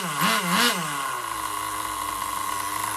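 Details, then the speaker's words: Rebuilt Duratrax Overdrive ST nitro engine (Velocity .17, single-stage, Tamiya carburetor, different piston and sleeve): two sharp blips then a high, thin steady scream at full revs; needle still slightly lean on the top end. "I know she's a little lean on top, because this is a bigger engine. Single stage."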